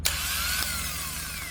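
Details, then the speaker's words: Airplane engine sitting 22 years, cranked with a big battery jump box (voltage drop only to 11-12 V): brisk starter whine with quick, even cranking pulses, no dragging; sounds way better, healthy crank. "That sounds a lot better. Nice. Oh yeah, that sounds way better."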